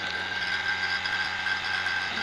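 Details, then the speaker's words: Vacuum pump evacuating a 6-rack freezer that won't freeze ice: steady harsh ratcheting drone with thin whine, running heavy and rough, some smoke visible, not yet pulled down; rough-running vacuum pump during evacuation. "Lihat, ini berat, kan? Kasar. Di sini agak berasap."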